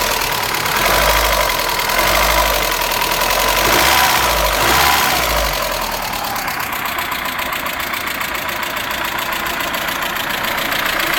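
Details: Vectra 2.0 16v at idle: a quick, light top-end ticking at about three to four per second; the owner suspects the hydraulic lifters or a stud bolt, but the cause is not confirmed.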